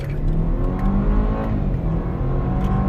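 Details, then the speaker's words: 2016 BMW X3 2.0-liter turbo after engine flush and Amsoil 0W-20 synthetic oil change, hard acceleration in Sport mode: revs pull up smoothly with no rattles, misfires or ticking; healthy. "Oh, beautiful. That's good. That's good. That is so beautiful how smooth that is."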